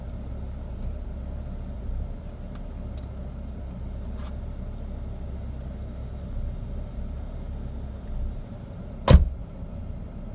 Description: BMW 528xi 2008 model having rough idle